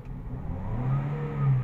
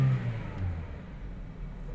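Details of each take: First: 2017 Toyota Vios 1NR, jerking in first gear: engine pulls up under throttle with uneven, stumbling low rumble; scanner shows 16 misfire counts, misfire moved from cylinder 3 to 4, ignition coil to be replaced. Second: 2017 Toyota Vios 1NR after replacing one ignition coil for a cylinder misfire: engine pulls up through the revs and eases back smoothly with no stumble or jerk; acceleration now normal.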